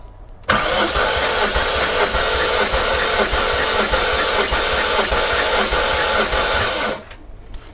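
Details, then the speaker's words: High-mileage 307,000 km supercharged S62 BMW E39 M5, warm engine compression test on last cylinder: steady even starter cranking, reads about 180–185, fastest cranking; other cylinders within 10%, only cylinder 1 low. "That's like 185, 180. That also sounds like the fastest the most."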